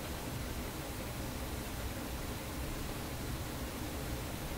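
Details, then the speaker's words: Vacuum tube PA amplifier being chased for an unexplained hum; at full volume with no source connected only a faint, even hiss with no mains buzz; hum returns later when stepped up to around 350. "full volume. Full volume. No hum."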